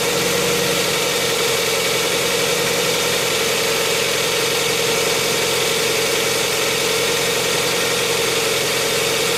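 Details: 2007 Hyundai Tucson 2.0 16v GLS at a cold morning start: loud idle with fast, uneven ticking in the engine roar that disappears after about 10 km of driving. A mechanic suspects the lifters; not confirmed.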